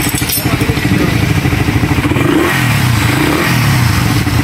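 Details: Raider 150 motorcycle after engine refresh, previously rapid backfiring with RPM cutting out: engine picks up cleanly and runs steady through revs with even exhaust beat, no misses or pops; normal revving.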